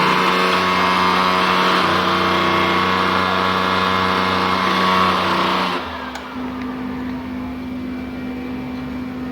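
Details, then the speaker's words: PS3 CECH-3001A with three-beep shutdown fault, no display, no HDD light: loud steady fan roar at full speed for several seconds after power-on with stable green light, then it cuts out abruptly as the console shuts off. "Okay, power on, green light stable. Fan is speeding up. And there is no display on the screen."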